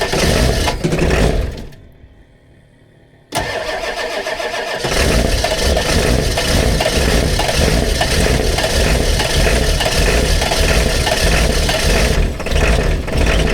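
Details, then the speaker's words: Ford 7.3 Powerstroke diesel sitting since 2017 with old fuel, cold start at 18°F: heavy, labored, uneven cranking that never settles into clean idle; owner suspects dead glow plugs or old, possibly gelled diesel; hard cold start. "You might have every bit of none of some of the glow plugs. It's either that or that diesel. This thing been sitting since 2017 and all that diesel's still in it."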